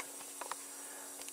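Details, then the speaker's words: MFJ-4275MV switching power supply just switched on: steady frying hiss with low hum and faint crackles; failing bad capacitor(s). "yeah you guessed it this power slide is suffering from bad capacitors or bad capacitor"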